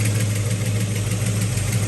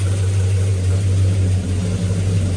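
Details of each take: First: Possibly 1970 Pontiac GTO V8, warm idle with fast light valvetrain ticking over the lope; under the valve cover rocker arms on number two and number six were loose; rockers tightened. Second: Circa-1970 Pontiac GTO V8 with new 2.5-inch aluminized exhaust, started after reorienting the spark plugs: deep, steady, lumpy but even idle with no misses or knocks; timing then checked at about 10–12°.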